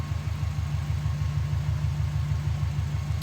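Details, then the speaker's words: Subaru Forester with big turbo and stage 2 cams, refitted after fixing head oil leak (loose bolts): steady cranking about seven beats a second, never fires; owner suspects cam timing or plugs. "oh guys I have no idea why it's not starting it started the other day before I pulled it out and I haven't changed anything"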